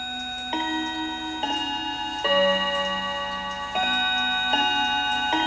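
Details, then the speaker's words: Hamilton carriage clock with balance escapement, after oiling the front of the movement: clear bell notes step through a Westminster-style tune at an even pace with no dragging or stalls. The chime lifts the hammers properly. "So I got the whole front oiled, and it seems to me that the chime is able to lift the hammers, start right up and whatnot."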